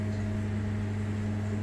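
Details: LG NeoChef MJ3965BGS inverter microwave, about 4 years old, after its magnetron was replaced: steady low mains-type hum with a faint higher buzz, even throughout, while heating half a cup of water for 30 seconds, which came out warm; normal operation.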